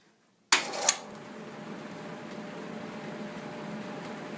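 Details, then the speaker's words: Homart Cooler belt-driven fan with a new 2-speed 1/3 hp A.O. Smith evaporative cooler motor replacing the original Craftsman motor that was losing RPM: short clatter, then an even soft whoosh; pulley barely moves, no longer rocking. "it's very quiet there's very little uh movement in the pulley itself it's a much quieter fan"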